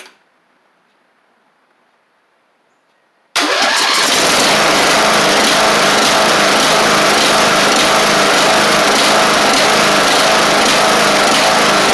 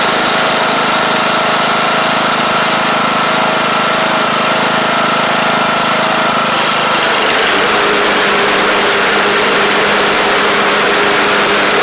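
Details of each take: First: Craftsman LT1000 Briggs Intek mower with a swapped-in cheap replacement carb whose jets are too small for the Intek: after silence it fires and runs loud and ragged, unevenly. The fix planned is drilling the jet out a thousandth. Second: Craftsman LT1000 Briggs Intek engine at an even idle that settles to a lower, steady note partway through, with no knocking or surging; it runs good and shifts great. A double-stack pulley is suspected bent.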